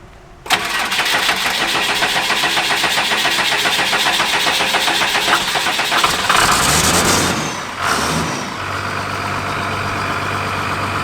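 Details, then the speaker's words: Motorhome with 39k-mile Cummins engine after long storage: long crank with steady rapid chug before catching and settling to rough idle; hard start, 20-year-old fuel and clogged fuel filters suspected. "Yes, sir. Gas, I'm sure. Bad fuel. Yeah, that fuel's 20 years old in that tank."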